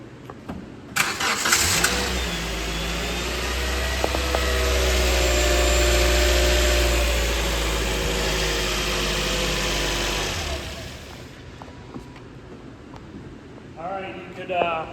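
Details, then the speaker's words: 2009–2013 Toyota Matrix 2ZR-FE after a repair for an oil-leaking timing chain tensioner. The engine was turned by hand about ten times, then started. A brief light ratchet in the first seconds as the tensioner takes up chain slack, then a steady normal idle. "you heard it like ratchet some more when it initially fired up and uh as soon as it fires there's a lot of tension on the Chain the chain wants to like move right so it really ratchets in place"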